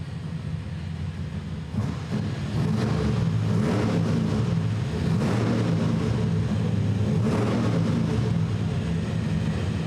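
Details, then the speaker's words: Small block Chevy on the dyno, just after carburetors fitted and float bowls filled, inline fuel pressure gauge added; deep steady V8 rumble at a slightly high idle while warming, smooth and even, no tapping or misses; much better sounding. "That sounds significantly better. Sounds different, yeah. We gotta let this warm up a little bit here."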